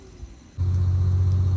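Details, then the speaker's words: Mitsubishi L300 loaded with vegetables, climbing a hill on the trans-Sumatra route: faint running suddenly jumps to a heavy steady low drone. Engine sound changed abruptly under load, cause unknown; the vehicle was then chocked with stones. "Teman-teman, ini tadi kita aneh dia teman-teman, tiba-tiba berubah suaranya."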